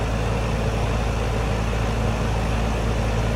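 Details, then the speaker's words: HVAC unit after compressor replacement and about 4 lb 12 oz refrigerant charge; suction 134 (previously 175-177), head 327, superheat 15, subcool 5: constant low hum, smooth even throb, no rattle, knock or squeal; new compressor pumping properly, normal operation. "So, this this looks more like it. With that new compressor, it's pumping how it's supposed to."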